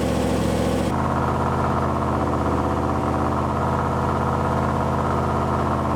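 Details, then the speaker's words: Engine first start, 50 psi oil pressure: steady idle with a constant whirring tone over it from the power steering pump, reservoir about 90% empty after fluid was sucked in; power steering pump noise. "yeah there's no power steering fluid in it well i filled the reservoir thank you but it's sucked in i'm gonna guess yeah so just right there right here clear is that where the noise is coming from"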